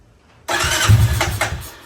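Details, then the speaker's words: 1999 Honda Foreman TRX400FW ATV, bought with no spark, reassembled, morning start on half choke though it seemed to want none; starter whirs, single fires right up into a steady, even low thump, idle maybe slightly low: normal start and idle. "Might be idling a little low still, but she runs pretty nice now."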